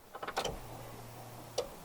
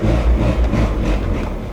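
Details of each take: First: VW Golf Mk3 with single-point injection, original throttle body and new distributor, troubleshooting rough idle; a few light clicks, then about a second of low even hum as the fuel pump primes at the rear; normal fuel pump priming. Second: VW Golf, after fitting single-port injection and new distributor: deep labouring drone barely climbing under full throttle, sagging toward stall; badly down on power, cause unclear.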